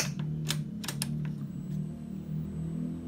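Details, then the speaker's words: Yamaha NMAX (new) with MIL lamp staying on: sharp uneven clicks over a low hum, no cranking; suspected causes battery, side-stand switch or fuse; starter clicking, engine not cranking. "Nah, masih bunyi cetik-cetik apa enggak. Ini masih bunyi. Cuma lampu milnya manteng terus ya."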